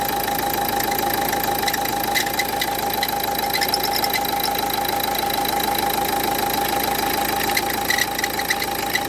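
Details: Renault Duster 1.5 dCi diesel idling: steady tone near 800 Hz with a fast rattling tick over the diesel clatter; a strange noise from a faulty alternator pulley, fixed by replacing the pulley.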